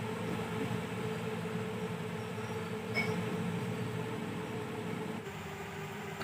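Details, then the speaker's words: Inverter cooling fan after it had jammed and stopped, opened up and its rod cleaned: quiet, steady whirring hum holding even, no scraping or ticking; the small fan now spins freely, running normally. "यहां पर जलने के बाद नहीं चलेगा फिर जाम रहेगा तभी यह ट्रिक टाइप करेगा यह देखिए मेरा फैन चलने लगा है"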